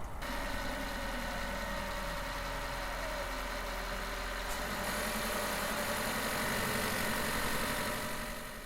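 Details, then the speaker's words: Toyota hybrid with a 2.5L engine, recorded inside the engine compartment: a steady idle hum with a slight rattle shifts tone as motor-generator one loads and slows the engine. This is normal; planetary gear set lash is suspected but not confirmed. "I don't know for sure, but what I suspect is happening here is we are hearing the different metal parts of the planetary gear set slapping against each other a little bit as Motor generator one starts to slow down the rotational speed of the engine"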